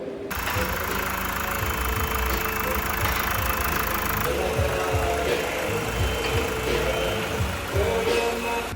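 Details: Mazda Skyactiv 2.2 diesel after a walnut-blasting carbon clean went wrong; the engine struggled to turn, then moved freely and was reassembled. Now a steady, even diesel idle clatter with music underneath, no binding or hard knocks; runs normally.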